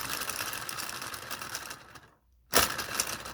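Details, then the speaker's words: Small 3D-printed "Telboy" solenoid motor on a JL94 circuit, cranked up to high voltage. It won't self-start: rapid light ticking dies to silence, then bursts back once it catches after a hard hand spin. "see i gotta give it a lot of voltage i gotta really crank it up and then i gotta give it a really hard spin and then it will catch"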